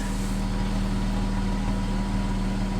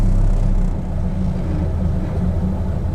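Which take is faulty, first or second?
second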